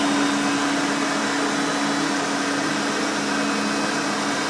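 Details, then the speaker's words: Vintage 1991 Hoover Elite 5.0 Limited Edition U4601-900 upright vacuum running: loud steady rushing roar with a constant whine, no rattles or pitch wobble; healthy, with a fairly new brush roll. "So now let's go ahead and turn this baby on and let's hear it in all her screaming, overly loud Hoover glory."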